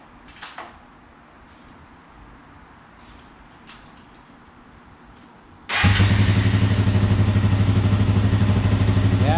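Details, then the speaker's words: Suzuki 400 motorcycle that would not start (owner suspected head gasket); the blocked gas-tank vent fitting that starved the fuel of air was removed, and it starts and settles into a steady, even thump, running like a champ. "Running like a champ. She's beautiful."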